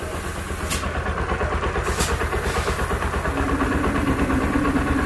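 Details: Hero single-cylinder motorcycle, engine opened at 15,000 km after breaking down, after repair: even steady thump at idle, picks up cleanly on throttle; running normally.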